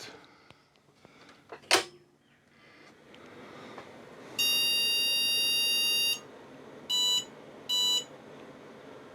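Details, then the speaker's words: IBM PS/2 Model 30 286 at first power-on during restoration: one long beep, then two short beeps, while memory counts up. POST reports errors 161, 2401 and 601; owner suspects one is time-related and a chip problem, unconfirmed. "all right we're getting one long and two shorts and we're getting a memory count up"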